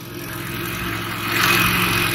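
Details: 2015 Toro Recycler 22-inch mower after auto governor/oil slinger replacement, blade engaged and self-propel drive pulling; engine picks up and settles into a steady buzz, no surging or rattles, running normally.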